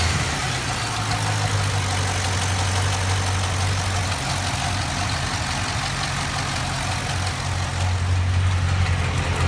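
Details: LS7 V8 at about 175 F oil temperature, revved to 1600 rpm, with a light, fairly regular tick over its deep hum.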